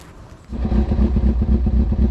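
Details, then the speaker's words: Rebuilt carbureted Kawasaki Ninja ZX6R, warmed up with choke open and idle set to 1,000 rpm: even, steady low thump with no misses or stumbles; ran poorly only when cold. Normal warm idle. "And when this engine warms up, it runs fine. That's just how carbureted bikes are."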